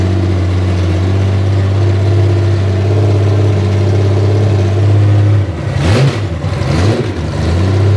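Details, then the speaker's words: Honda Gold Wing six-cylinder running on open headers with no collector while curing freshly VHT-painted header pipes; loud deep drone with a rattly beat, then a couple of crackling blips. The note is very loud and harsh. "Oh, there. That is very loud. And I'll only say that cuz I'm not going to say that sounds glorious cuz I don't think it does. I think that sounds awful."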